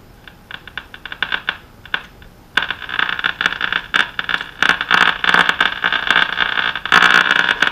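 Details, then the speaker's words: Irregular crackles and pops through thin hiss on an early-1930s Silvertone Companion 57 D 1704 radio at first power-up after recapping, around 100-126 V line; owner suspects the antenna lead or a dimmer-switch-like source, not confirmed. "I think I'm getting that from my antenna lead itself cuz you can hear when I disconnected I can still faintly do we turn the volume down sounds like a dimmer switch or something"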